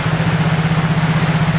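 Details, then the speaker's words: Yamaha Mio J scooter with cracked injector socket held together: quick even single-cylinder idle putter, no misses or knocks; engine runs, fault traced to clogged injector and cracked socket; normal idle. "untuk mesin motornya sudah hidup ya berarti yang rusak di sini adalah di bagian injektor ya teman-teman"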